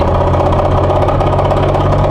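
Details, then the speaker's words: Nissan S15 drift car gearbox after a drift day: steady engine drone with rough gritty whirring and rattle from broken second gear, the third gearbox broken; gearbox later replaced with upgrade. "can hear that lovely noise. Second gear broke in my gearbox again."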